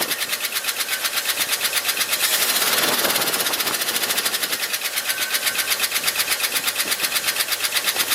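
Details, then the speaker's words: 1971 Ford F-250 shop truck V8, alternator and water pump belt removed made no difference, noise toward the front: fast, light, even ticking; could be a valve lifter, cause not yet confirmed. "the knock that we heard or I heard uh was almost certainly a valve lifter stuck because when I came back on the second round and fired it up it wasn't on video but it ticked for just a second and then smoothed out"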